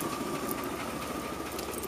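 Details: Engine heard through the doghouse in the driveway, owner suspects fuel injectors, worse on the road, smokes on cold morning start then clears: lumpy, uneven misfire-like idle that stays the same when revved higher.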